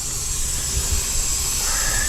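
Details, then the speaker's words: 2023 Sea-Doo GTX 300 Limited, stage 1, only reaching 74 mph: loud, steady hiss of escaping air over a low engine rumble; boost leak on the pressurized side, blow-off valve checked and ruled out. "we definitely have a leak so you see what I mean you just never know don't assume stuff you got to go for it and see what we got"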